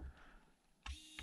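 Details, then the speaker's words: Hobby Plus CR-18P Trail Hunter RC crawler winch on separate ESC after reprogramming: short clean whir one way, click, then whir the other way; winch motor and controller now working properly. "One Direction other direction I did it now and it works that's super nice"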